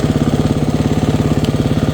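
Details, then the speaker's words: Single-cylinder off-road bike after fixing intermittent stalling with a new fuel injector (it had hung open) and a replaced cracked spark plug boot: a quick, perfectly even idle, no longer dying on throttle blips, though the plug shows it ran slightly rich. "So before it would die whenever I blipped the throttle like that. So that problem's fixed."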